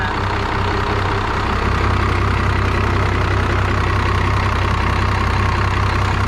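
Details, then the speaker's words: 5.9L Cummins diesel from an abandoned Dodge: loud clatter at about four beats a second, fairly even but slightly lumpy; rough idle, owner suspects old fuel is keeping it from running smoother. "I think other than just some old fuel, I feel if the fuel was a little bit better shape, it'd be running a little smoother."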